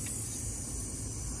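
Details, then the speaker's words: 1998 Honda XR400R bought crusty, leak-down test with engine off: steady rushing hiss of air escaping from the crankcase breather, losing considerable pressure; air getting past the piston rings, blow-by. "where's the Breather so it's coming out of the Breather that works out as Blow by"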